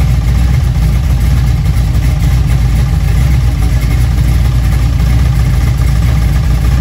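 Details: Junkyard LM4 aluminum 5.3 LS V8 on a stand with a Tick Performance Street Heat Stage 2 cam (229/235, 111+2, +10° overlap vs stock -37°). Loud, deep rumble at a fairly high, steady idle with barely any lope; it seems not to be idling down far.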